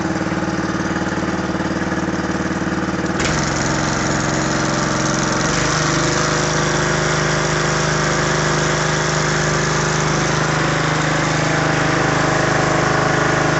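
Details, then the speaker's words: John Deere 14SE mower, Kawasaki FC150V overhead-valve engine with pressurized lubrication, electric start, just run, after carburettor cleaning cured poor running: catches and settles into a smooth, even steady run, no stumbling or surging; normal running. "this is a really nice overhead valve engine and runs great now it was running pretty crappy before I cleaned out the carburetor"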